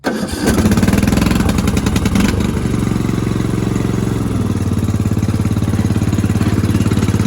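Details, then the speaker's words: Lawn tractor single-cylinder engine after fitting a vacuum fuel pump driven from the dipstick tube, restarted without choke: catches right away, picks up briefly, then settles into a steady, even idle with no stumbling; normal start and idle. "now i'm going to shut the hood and i will show you now this will indeed restart without anything choke on"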